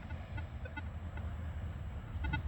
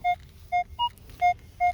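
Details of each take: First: Minelab Equinox 800 metal detector with sensitivity raised from 20 to 25: brief stray beeps over a low hum, chattering from excessive sensitivity; recommended to drop back to about 20. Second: Minelab Equinox 800: five short beeps in two seconds, mostly one mid tone with one higher note. This is a clean repeatable signal with a bouncing VDI number; the target was a dime about eight inches deep.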